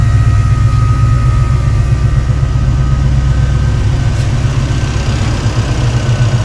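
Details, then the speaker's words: 1966 Mustang 289 V8 with Holley Sniper 2 EFI, before being idled down: a deep, steady exhaust burble with the fuel pump quiet, not louder than the engine as an external pump would be. It runs very smooth. "This thing is really running smooth."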